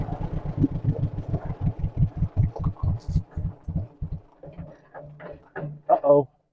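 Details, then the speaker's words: 1958 John Deere 420W two-cylinder tractor after cold start; slow heavy putt-putt spacing out as it settles to the very low idle this tractor normally has: normal low idle. "Yeah, this one idles really low. I forget that."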